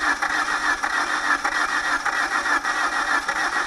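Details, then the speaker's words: PT Cruiser non-runner that reportedly overheated; steady uneven cranking about 1.5 pulses per second never catching; owner suspects low compression (untested), engine likely to come out. "it was trying to start but I don't think it has enough compression and I haven't had a chance to run a compression test on it"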